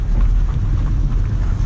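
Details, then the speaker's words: Chevrolet Lacetti automatic after repair of a severe whistle/squeal heard when moving off: now only low, steady road and engine rumble with no squeal on the test drive; quiet normal driving. "тишина и спокойствие в машине абсолютно все четко классно"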